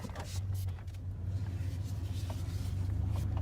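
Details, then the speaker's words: Dodge Ram truck after topping up low power steering fluid: steady low engine rumble while turning, with the earlier grinding squeal gone. "I'm going to turn see if I can get it to do any type of squeaking at all absolutely no more grind at all"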